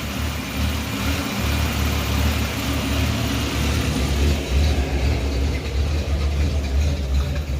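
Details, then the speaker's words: 1989 Chevrolet Celebrity 2.8 V6, 173,000 miles, lower intake gasket failure, warming up: low, lumpy, loping idle so low it sounds cammed; smells rich, owner suspects bad oxygen sensor. "they don't want to idle right it kind of idle so low that it acts like it's got a built cam in it"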